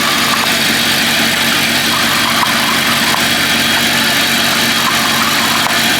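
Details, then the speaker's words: Audi R8 at idle: a tinny, hollow buzz rides over the engine, coming from the oil pan. The flat oil pans fitted 2008–2010 resonate; from 2010 the pans gained bracing, with the crankshaft linked to the cause. "ein geräusch aus der ölwanne das ist jetzt 2008 bis 2010 wurden die öl waren einfach so ganz plan gebaut"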